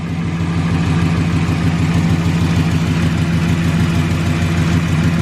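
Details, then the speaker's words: 2012 Ram 1500 Hemi V8 (6-speed) with a newly installed 3600 stall Circle D torque converter, cold, idling on the hoist. A part, thought to be bent, hitting a torque-converter bolt tooth had made a noise at low idle. Now it is a deep, steady, even idle with no ticking or scraping, so the fault is fixed. "think it was bent and hitting one of the teeth, the torque converter bolts. But it's not doing it anymore, and it was doing it at low idle."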